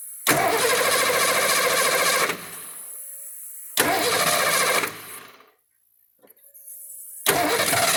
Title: car won't start acts like it wants to fire but then stops